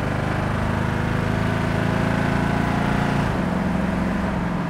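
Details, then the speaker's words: 1965 Ford Mustang Fastback on a road drive at around 65: engine drone rises under throttle, then drops cleanly in pitch as the automatic upshifts. Smooth shift, just where it should be; normal automatic transmission upshift. "I don't know if you guys heard it shift in the video or not but but the car shifts fantastic it's a nice smooth shift boom boom just where it should"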